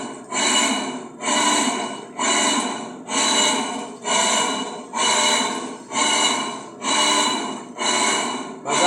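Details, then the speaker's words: Electrolux LT10B washing machine during the wash cycle: harsh rushing surges about once a second as the agitator reverses, much louder than normal. The noise comes from the wrong motor having been installed, which is to be replaced. "Olá meninas sua máquina já tá lavando tá vendo tá fazendo esse barulho Porque eu trouxe o motor errado"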